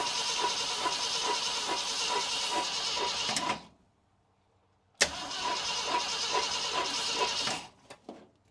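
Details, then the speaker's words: 1966 Ford Galaxie 500 being revived with a partly stuck engine: fed from a gas jug, it catches with uneven ragged firing, dies, fires briefly again and falters; it seems not to be getting fuel, and fuel later leaks once the bowls fill. "Interesting. It seems like I'm not getting fuel. I'm not."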